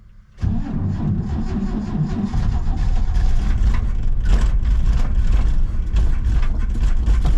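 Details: 1967 C10 pickup being revived after a storm-felled pine tree hit its carport, given more gas after the owner suspected the choke. Uneven cranking with ragged firing that builds but never settles. It is nearly catching but not running, cause unconfirmed.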